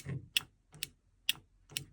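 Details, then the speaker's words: Infiniti G35 drift car with BMW M54 engine swap, wiring the start button and starter relay: five crisp clicks about every half second as the energized relay switches inside. The relay is working correctly. "on entend bien le le relais claquer à l'intérieur donc ça pareil c'est tout bon"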